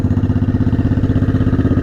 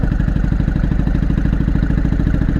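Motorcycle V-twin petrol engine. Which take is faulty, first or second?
second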